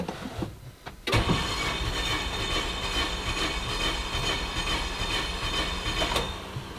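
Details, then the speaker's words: Renault Megane cranked with all injectors unplugged for a compression test, owner worried about blow-by: starter spins engine evenly with regular compression beats, no dragging; cylinder one reads 10 bar, normal cranking. "Let's unplug all the injectors. Yeah. So what, you just want to crank it over like normal?"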